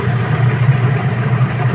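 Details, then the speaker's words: Sharp Gigawash Jr washing machine after gearcase replacement for noisy spin: strong, steady low hum, smooth even spin, no grinding or knocking, noise gone. Normal spin. "So ayun guys ha dito sa ginawa natin wala naman ng tagas so okay na at malakasang ikot oh wala na yung maingay tagaling ang tiba mo."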